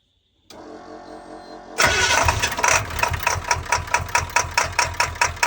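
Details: Ford 7.3 Power Stroke diesel in a school bus after draining about 62 gallons of diesel and gasoline, flushed with new filters: long crank, then loud uneven pounding about two beats per second; rough running, likely from fuel contamination.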